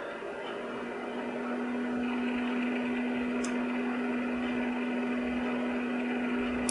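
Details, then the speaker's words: Ryzen R7 1700 PC overclocked to 3.9 GHz, with a Deepcool Gammaxx 400 dual-fan CPU cooler and Cooler Master Jetflo case fans, fan speed stepped up toward 100%. Steady whoosh and low hum with no rattle or grinding; not too loud. "there's not much noise coming from them and by as you can hear it's it's not too bad actually"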